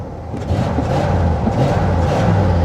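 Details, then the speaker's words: 1979 Cadillac Coupe DeVille, 7L 425 cu in V8, about 68,000 miles, parked outdoors for 27 years, floored: a strong, even deep roar rising smoothly with no misfire or stumble. Acceleration is responsive, though it idles poorly. "I'm flooring it. Listen to that. It's responsive."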